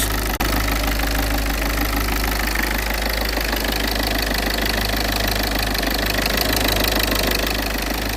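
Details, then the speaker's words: Citroën C3 diesel after refitting injector seals and fuel pressure sensor, fuel primed, battery reconnected: starts cleanly, steady even idle clatter, no more injector return noise or bubbling; normal. "Voilà, la mise en route, impeccable. On n'a plus le bruit de retour injecteur."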